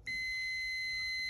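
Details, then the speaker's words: Fluke T6-1000 meter on the ohm setting with beep on, testing a fuse that has no window: a steady high-pitched beep as the probes touch the top and bottom. This shows continuity, so the fuse is good. "All right, OL turns off, we have continuity, and beeps."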